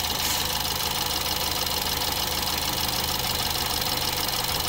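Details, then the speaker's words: 2017 BMW X3 with a replaced N20 engine from a 2015 car; it runs well at idle but has a faint, uneven light metallic tick, about three per second; left to warm up, source not yet clear. "двигатель работает хорошо а в салоне Он казался что он лучше работает какой-то есть такой немножко металлический звучок"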